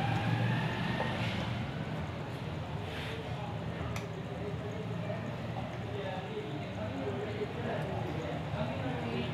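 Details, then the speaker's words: Running ceiling fan, heard up close, gives an uneven tuk-tak rattle about four knocks a second, louder at higher speed; noise from a loose bearing inside the fan. "ठीक है guys आप देख रहे हैं कि बहुत ज्यादा यह शोर कर रहा है मैं आपको करीब इसलिए दिखा रहा हूं ताकि आपको अच्छी तरह आवाज आ सके"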